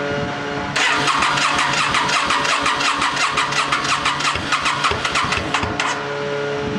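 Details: 2008 Yamaha V-Star 650 carbureted twin, first spring start after winter storage with new battery, fresh gas and carb cleaner, on choke, no throttle; rapid even starter chuffing for about five seconds before it fires, long crank, otherwise normal.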